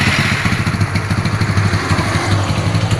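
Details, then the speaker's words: Yamaha Mio carbureted scooter after replacing the seized piston, worn camshaft and rocker arm caused by oil starvation, with valves adjusted: even single-cylinder idle, a steady low thump with no clatter or knock; the engine runs smoothly again. "suara sudah halus lagi dan pastikan olinya naik dengan cara di cekin dibuka"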